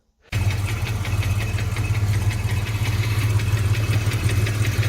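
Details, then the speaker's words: Ford Fox-body Mustang LX converted to GT V8, stored over 6 years, push-button start, fresh-started idle: light uneven ticking knock about 80 a minute, louder inside, gone by about 1,500 rpm, oil pressure good; appeared after burnouts, cause unknown. "okay sounds definitely worse inside when I give it rpm he goes away definitely can't hear it right now probably 1,500 rpm"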